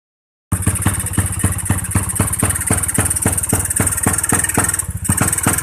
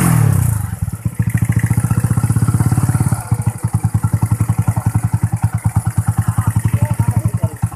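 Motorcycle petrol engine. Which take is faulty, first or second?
first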